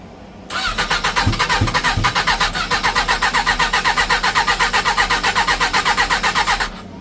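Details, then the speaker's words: Motorcycle after engine swap, choke on, air filters/airbox not fitted: starter spins engine with even rapid compression pulses, about four a second, for six seconds, never catching; owner suspects missing airbox. Cause suspected, not confirmed. "All right, so I failed at turning it on. I think it's because I can't put the airbox on."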